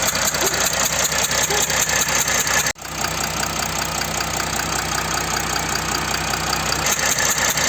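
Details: Mercedes OM642 V6 diesel in a Jeep Grand Cherokee CRD idling normally with an even clatter and no ticking or hissing, after the leaking injector gasket that caused the ticking noise was replaced.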